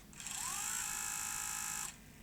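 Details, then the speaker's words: 1989 Sony EVS1000E Hi8 video recorder (Sony U-mechanism deck) in fast-forward: a rising whirr settles into a steady high-pitched spin with a noisy rasp over it, from a misrouted flex cable rubbing the tape deck mechanism. "forward play pause all seems a little noisy but working I wonder if we can work out why it's making that noise"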